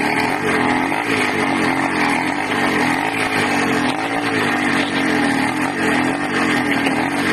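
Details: Loud, raspy 80cc two-stroke buzz surging and sagging unevenly every second or so; owner suspects a carburetor or intake manifold air leak, unconfirmed.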